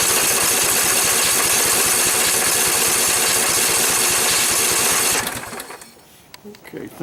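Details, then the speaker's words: 2012 Husqvarna riding mower, flood survivor with mud on the carburetor, primed with a little gas: rapid even firing for about five seconds, then it fades out and dies like a fuel-starved stall. Owner suspects water in the carburetor float bowl, which would mean draining it. "okay possible that there is water in the float bowl on the carburetor that's very possible in which case it means we're going to have to take the hood right off and drain the carburetor"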